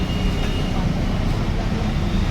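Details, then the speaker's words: Hero Xtreme 200R single-cylinder engine: busy, rattly, crank-like clatter over the idle thump with no clean rhythm; camshaft bearing found worn on opening the head; the one-way starter-clutch bearing may also fail; camshaft bearing rattle. "तो अगर इस तरह से कभी भी आपको crane की जैसा साउंड आए तो इसमें आपका ये इसका भी बेयरिंग खराब हो सकता है"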